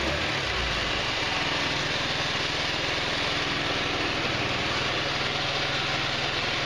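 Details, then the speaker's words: GY6 150cc retro scooter (Verano 150 type) on its center stand, plastics off, first start after a valve adjustment: a steady, even idle with a smooth low pulse and no top-end tapping. The valve train sounds quiet. Normal idle. "remember the bikes on its center stand much better it's not tapping"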